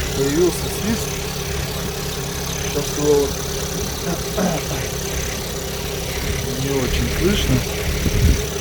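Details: Chevrolet Orlando at 55,000 km, idling after its valve cover gasket was replaced and the cover washed. A thin, steady, high whistle sits above the idle hum: the crankcase breather membrane whistling.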